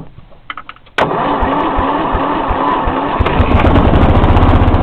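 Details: 1994 Lawn Boy with 2.5 hp Briggs & Stratton single-cylinder engine, cold start after sitting about a week: quiet for a second, then catches at once and settles into a steady, even run with no misfires; healthy cold start.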